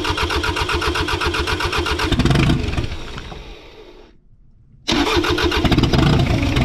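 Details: 1984 Mazda B2200 with 2.2L Perkins diesel, revived after sitting since 1998, coolant topped off and left to heat up: an even clatter near four beats a second, dies briefly, then restarts cleanly and runs steady; sounds healthy.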